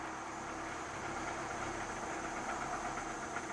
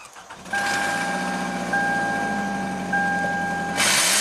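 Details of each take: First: 2009 Toyota Camry four-cylinder, pending cylinder 3 misfire code, starts reluctantly and stalls on throttle: barely running, uneven stumbling firing with muffled, choked exhaust note, attributed to a clogged catalytic converter. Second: 2009 Toyota Camry four-cylinder that barely ran and stalled on throttle, restarted to test for exhaust back pressure: it catches quickly, revs cleanly and idles steadily, confirming a clogged catalytic converter that needs replacing.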